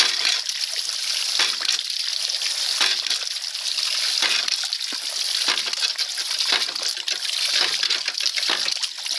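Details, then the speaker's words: Homemade ram pump fed by spring and creek water, with an adjustable spatula-spring waste valve weighted for slower cycling. Rushing water and a sharp clack about every 1.5 seconds; slower cycling gives a bigger water hammer, more waste and more output. "you hear how slow that is you got a bigger water hammer more wastewater and more water output"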